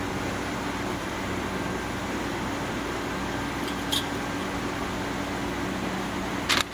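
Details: GE Profile window air conditioner, a curb find that now works: compressor kicks in after a short delay, steady even hum from compressor and fan with no rattles or knocks, cooling the air to about 69–70°F; normal compressor operation.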